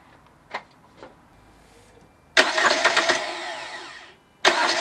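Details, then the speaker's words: Ford Transit Connect diesel after injector seal replacement: short crank, then it fires almost at once into a busy clatter; normal start with no struggle. "as you can see it cranked up straight away more or less just give it quick turns with the key didn't want to over crank it"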